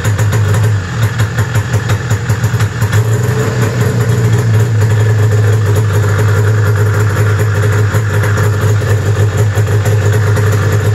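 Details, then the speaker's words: 1995 Arctic Cat ZR700 two-stroke snowmobile idling around 1700 rpm: uneven, lumpy putter, as if on one cylinder, once the hand warmers go to high; replacement part didn't help, owner suspects wiring somewhere. "all right so it didn't change because i switched the high setting on for the hand warmers and it started putting again like i was running wanting to run a one cylinder"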